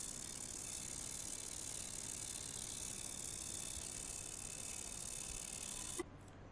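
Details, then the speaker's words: Basic ultrasonic cleaner for vape parts running with lid open, water rippling; steady even high-pitched fizzing buzz with no falter, then cuts off cleanly; normal running. "And if you put your finger inside, right, you can actually feel something there, and those are the bubbles, or the water is actually moving on the inside because of the sound waves."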